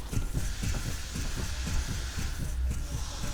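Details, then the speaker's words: Hyundai Solaris / Kia Rio 3 rear suspension, rear body rocked by hand with the trunk open: dull low thumps about two or three times a second matching each push; upper/lower rear shock absorber bushing separated and loose on the shock. "слм характерный отчётливый стук"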